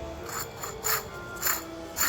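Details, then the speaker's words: Infiniti G35 old rear wheel bearing, removed and turned by hand: a dry, gritty rasp pulsing about twice a second. The races are rough and the bearing is worn; the new replacement bearing spins silently. "Now, the noise I was saying, you see, you spin it, you kind of hear it like,"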